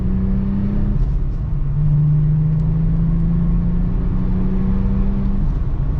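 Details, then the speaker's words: 2001 US-spec VW Jetta VR6 wagon on its maiden drive, revved to about 4,000 rpm: a steady deep drone stepping up smoothly with the revs, no knocks or rattles, a healthy engine accelerating normally. "I'm going to about 4,000 rpm. Oh, it sounds so good."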